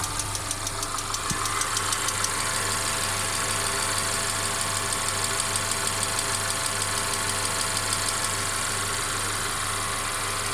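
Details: Mercedes CLA 250 at steady idle: intermittent light sharp metallic clack about twice a second over the hum, source unknown; car also stutters when accelerating after long slow driving; engine clacking.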